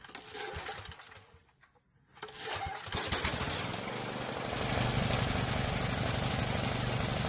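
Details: Small generator engine that ran only on choke, after fixing a partly clogged carburetor jet buildup, test run with air filter off: catches after brief stumble, settles into steady even beat, no surging, running normally off choke.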